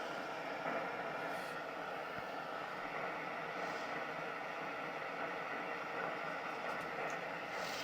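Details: Stove burner test run with meths (spirit) priming burned off: a steady, even roaring hiss with no sputtering, pulsing or flare-ups; the burner is settled and running normally.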